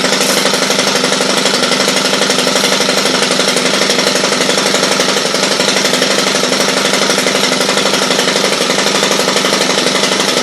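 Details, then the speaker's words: Stihl HL hedge trimmer, loud steady high-pitched two-stroke buzz pulsing about four times a second with no blade chatter: engine runs but blades aren't driven; owner suspects seized blades, failing clutch or worn drive part, unconfirmed. "Motor runs. This is a Stihl HL. I can't tell the rest of it. It's a pretty decent one though. Apparently the blades are seized and they don't want to run."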